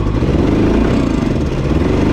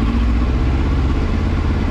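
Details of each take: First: 2000 Yamaha R1 4XV, slightly warmed up before carburettor repair, running on only three cylinders: uneven, lumpy idle with stumbling beat and clattery edge; misfire from carburettors leaking air at loose inlet rubbers. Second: 2000 Yamaha R1 4XV after carburetor repair and synchronization, slightly warmed up: deep, steady four-cylinder idle with an even beat and no stumbling or misses. Normal idle.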